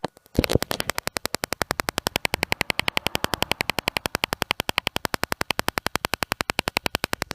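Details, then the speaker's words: BMW E46 Touring rear parking sensors after installing a new sensor and swapping sensor positions: quick, even clicking at about four per second, steady and unbroken; the system is working normally again. "so the clickers becomes normal again and now the system is working"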